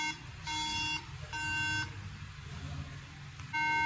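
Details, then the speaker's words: Apple MacBook model A1369 at power-on: three separate steady high beeps about a second apart, display stays off. Technician suspects graphics chip, CPU, or RAM not being read by motherboard; not confirmed. Repeated startup beeps with no display. "सही में machine on करता हूं तो यह machine बप करना शुरू कर देती है और डिस्प्ले नहीं बंता है"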